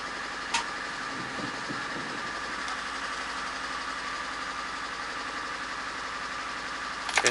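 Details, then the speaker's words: VAZ 124 16-valve engine (2110-12/Priora) after head reassembly with new seals and timing set: uneven stumbling idle with low thumps, one cylinder misfiring even after coil replaced; owner suspects bad spark plug, alongside an unresolved knock. "общем, катушку заменила, все равно троит. Я не пойму, что делаю. Может все-таки свеча негодная."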